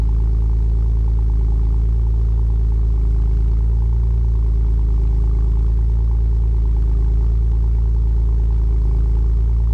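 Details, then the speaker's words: V6 5th-gen Camaro with MRT V1 axle-back exhaust at cold start: steady low burble at a fast, even cold idle for ten seconds, no ticks or misses, running clean. "So we're going to kick things off with a cold start, get some acceleration, some interior shots, show you what it's like to hear it on the inside, and yeah, so let's just go ahead and jump right into it."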